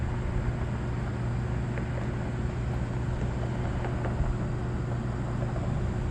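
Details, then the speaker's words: Trane rooftop unit condenser fan running steady and even with a low hum and no rubbing or scraping, after separating the gasket material on the fan motor that had caused a noise; now sounds like a regular fan motor. "all right guys I got her back on that sounds a lot better since I separated that little gasket with your material on there"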